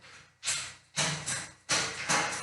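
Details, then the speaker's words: Bicycle rear derailleur cable too tight or too loose, keeping the chain off its normal position on the cogs: sharp bright clicking bursts about every half second as the chain tries to jump to the next cog. "لو ركزته هتلاقوا ان الجنزير عايز يشفط عايز يشبط على الترس اللي بعده"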